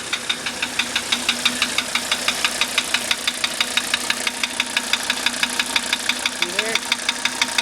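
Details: 1985 Mercedes 300D diesel at idle, just bought, which had a bad starter: sharp, even ticking about three times a second rides over a steady idle. Knock cause not yet found.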